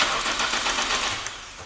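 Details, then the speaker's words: Toyota Camry 20 with hard start (kicks back, backfires, sneezes, misfires), now giving good spark: short burst of uneven, hissy starter churning, no catch; owner suspects starter/ground fault or crank reluctor gear. "Либо все-таки какой-то геморрой у нас со стартером и с минусом, либо все-таки у нас задающая шестерня"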